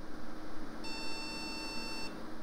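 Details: AMD Athlon XP custom PC stuck at POST code 04, speaker connected: one long, high beep of about a second over room hiss; slow beeping means memory error, one RAM stick likely bad.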